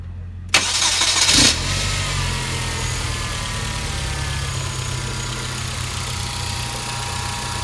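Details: 2010 Hyundai Genesis Coupe 2.0T (BK1): after start, a thin steady whine sits over the idle, caused by a bad idler pulley bearing in the belt drive; the fix is replacing the pulley.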